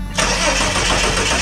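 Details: Ford XE Falcon with what looks like a 4.1 EFI system, cranking steadily in a dense even churn without firing; crank, no start, and the seller said the injectors probably need cleaning.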